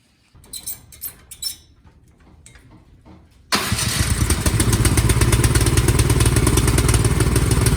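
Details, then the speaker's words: Cub Cadet 528 SWE snowblower after replacing the weak-spark magneto coil: a few pull-cord tugs, then the engine catches and settles into a fast, steady, even beat with no misses, running properly. "well success it was that magneto the weak spark"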